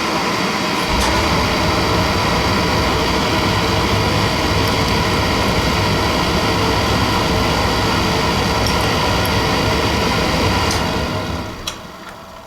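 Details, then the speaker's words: Suntec A2VA-7116/A2VA-3006 single-stage residential oil burner fuel pump during bleeding, old filter leaving oil dark but clearing, burner reaching temperature: steady motor hum with constant fine whir stopping cleanly at shutdown; no cavitation or air bubbles, normal pump operation. "I see no cavitation, I see no air bubbles."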